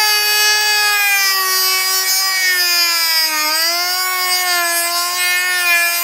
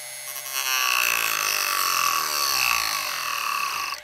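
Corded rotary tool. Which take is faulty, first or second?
second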